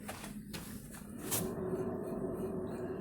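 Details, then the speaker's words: Ford Ka 1.0 2008: steady rough rumble with a faint hum from a spinning wheel; strong wheel bearing noise on both wheels. "As duas rodas fazem bastante barulho de rolamento."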